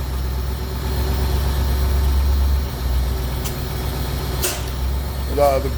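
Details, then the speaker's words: 1985 Thomas full-length school bus (Navistar 1853) with an International S1800 551ci diesel, automatic, 175,000 miles, cold start after sitting a couple of days: a deep, steady idle with no knocks or stumbles. Normal diesel idle. "again everything works start right up and it runs"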